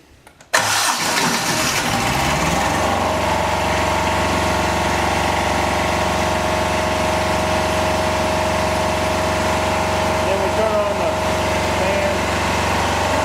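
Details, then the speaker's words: Home-built standby genset, Yanmar two-cylinder diesel, started warm in Florida without glow plugs: fuel solenoid pulls in, short crank, catches within a second and settles into a steady, even diesel clatter; normal healthy start. "we just give it a crank uh it's warm enough here in florida i don't use the glow plugs very often so here we go it's going to be kind of noisy"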